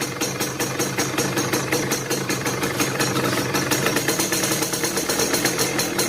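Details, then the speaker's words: Yamaha F1ZR two-stroke idling with a coarse, uneven rattle pulsing over the exhaust beat, which lessens slightly when the clutch lever is pulled. Fault is in the clutch basket (housing), not yet confirmed. "Kendala lainnya, oke teman-teman bisa lihat sendiri, itu dari bunyi motornya itu sudah kasar ya teman-teman."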